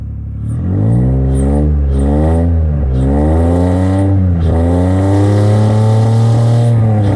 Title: v6 TL running on 3 cylinders cuz of bad injectors